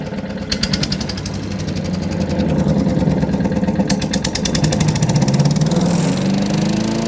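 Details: Wood chipper with a petrol engine, chipping branches after a broken ear was welded back on; steady drone with rhythmic chopping bursts, holding speed. Normal running under load.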